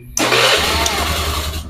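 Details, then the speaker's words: Carbureted Honda Beat with weak starter, battery on charger: brisk strong crank under half a second, then engine catches and settles to even idle; starting normal again with no issue in the ECU/CDI starter relay. "Oke normal lagi gak ada kendala ya teman-teman untuk bagian relay pada Ecu ataupun pada CDI"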